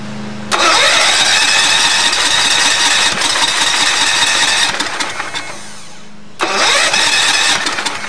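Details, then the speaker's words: Allis-Chalmers tractor with a swapped-in engine after the previous one blew a valve. It fires loud and a little uneven, dies for a second and catches again, then stops with a squeal; it was found very low on oil. Stalling. "uh let's try not bad but it was running and then uh the motor just stopped made a squealing noise like it ran out of oil so i'm gonna check the oil"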